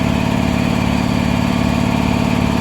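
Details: 400V V-twin air compressor that had not been building pressure, now running after repair: steady, even low drone with a smooth pumping beat and no knocks or rattles, healthy and building pressure.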